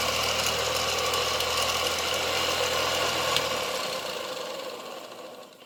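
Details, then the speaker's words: 1970 Zelmer 01 vacuum cleaner's East German Suhl type 1004.2/5 motor, bench-tested on 24 V transformer before disassembly and bearing lubrication: steady whine with gritty scraping from bearings and fan rubbing housing; worn bearing noise with fan rubbing housing. "And the motor works, although you can hear the bearings and the turbines rubbing the housing a bit, but that's a good sign anyway."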